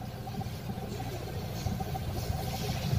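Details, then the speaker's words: Toyota Fortuner VRZ diesel idling: rough, pulsing low "sok sok" knock in the engine bay that comes and goes; alternator suspected, to be confirmed with a stethoscope. "Ada hilang, ini biasanya sih dari alternatornya. Nanti kita akan cek menggunakan soundscope untuk memastikannya."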